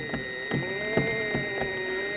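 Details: Toylander 2 Land Rover ride-on with electric motor chain drive, accelerator pressed: a sharp click about every 0.4 seconds over a light motor whine. A dial gauge showed the sprocket was welded at the wrong angle.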